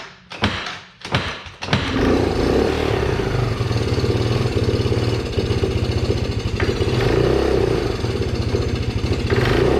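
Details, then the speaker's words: Can-Am ATV after being submerged, fuel suspected bad or watered, after cranking bursts: rough, uneven firing with a ragged, wandering beat, barely running; starter also failing, cause unconfirmed. "oh that didn't sound good hey started without me putting any goat juice in there are you almost gonna go on your own"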